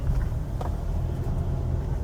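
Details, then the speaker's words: 2000 Lexus RX300 on a test drive after replacing an ignition coil for P0300, P0302, P0304 misfires, check engine light off: even low drone with no stumbles over road noise; smooth running, misfire fixed. "as you can see the engine is running a lot smoother than it did"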